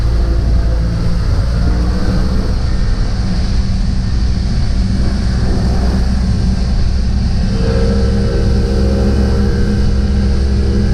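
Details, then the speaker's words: 50 hp Mercury three-cylinder outboard on a pontoon boat, after a rough-idle and stalling fix, back in neutral after a 4,000+ rpm run: a deep even drone firing on all three cylinders. The earlier cylinder loss was possibly a spark plug wire. "sounds solid yeah sounds like all three are running yeah before there was definitely yeah maybe it was hitting the back of the spark plug wire could be or something but it definitely sounded like losing a cylinder"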